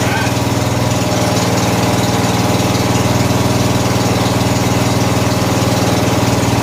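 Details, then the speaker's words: 14 HP Briggs & Stratton engine in a Murray riding mower whose carburetor had been flooding and whose oil smelled of gas: a steady, even single-cylinder idle at about four beats per second; a small backfire is likely gas in the exhaust. Normal idle. "good sounds good"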